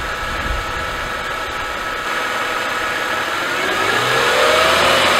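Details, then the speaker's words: Mercedes-Benz M272/M273 petrol V6 (S211) idling with a rough, diesel-like knocking rattle on cold start from low oil pressure at idle; hoped-for fix is a new oil pickup tube O-ring, replaced with the oil pan off. "hopefully we get oil pressure idle to stop the ridiculous knocking sound like a diesel"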